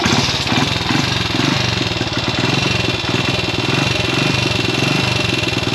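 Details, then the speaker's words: Classic Italian Gilera 124 5V lightweight, fresh off the workbench, on its first proper road run: uneven idle with irregular pops breaking up the beat, running slightly rough. Owner suspects it is only carburation; jetting, plugs and points timing are still to be checked. "uh Popp on it's not running right okay but work in progress yeah it's only carburation"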